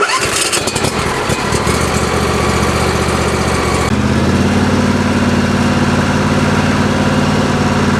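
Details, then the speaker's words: Craftsman LT1000 lawn tractor with newly fitted 27 HP V-twin engine and electric fuel pump: cranks briefly, catches quickly and settles into a steady, even idle with a firm low pulse; normal start and idle. "The lawnmower now runs like a champ, starts right up, and so at this point I have a 27 horsepower V-twin engine in this Craftsman lawnmower, and it goes just fine."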